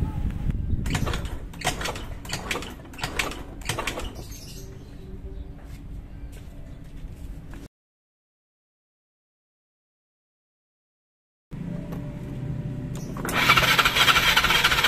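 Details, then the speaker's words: Old Yamaha Mio scooter, hard to start: repeated kick-start strokes churn over without firing, after oil was added to the cylinder to check compression with spark plug out; no start, ultimately traced to incorrect intake valve clearance. "Karena masih belum berhasil, saya mengarah ke karbu ya, bisa jadi pilot jetnya mampet ya teman-teman."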